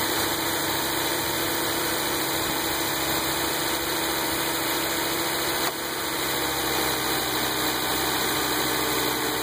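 Engine idles evenly beneath a steady, high-pitched buzz that holds constant throughout; something is buzzing, source not yet pinned down.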